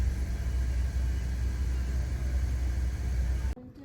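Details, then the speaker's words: 2014 Ford F-150 EcoBoost race truck, 85k-mile service, first start after fresh spark plugs (earlier check engine light and stumbling): deep smooth idle, no stumble, cuts off near end; sounds good, runs cleanly. "all right here we go first start fresh plugs sounds good"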